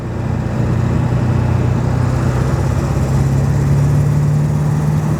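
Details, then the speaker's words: Ford F-350 7.3L diesel, 6-speed, about 320,000 miles, tuner two clicks up, accelerating to 60 mph: strong, even drone climbing slowly in pitch, no knocks or misses; healthy, though the owner suspects compression loss with age. "Of course, we're probably not seeing that now that it's so old and we're losing compression and all that, but it seems to be running pretty darn good."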